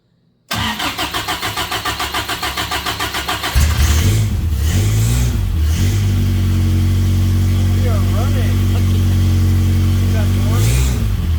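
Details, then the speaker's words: Samurai offroad build engine, first run after fixing vacuum leaks, no coolant circulating yet: cranks with an even chug, catches, then settles to a smooth steady idle with a clean rev, no flutter or rattle; sounds good. "sounds good does sounds very good huh I like it"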